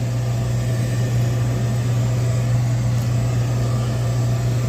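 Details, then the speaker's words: York horizontal 90% gas furnace, no-heat call: thermostat calling, temperature dropped from 72 to 60. Steady low inducer motor hum with no burner ignition; the furnace is locked out by a pressure switch stuck open. "My inducer is on, burning hot. But, nonetheless, I can hear the inducer running. No flames. This thing is locked out."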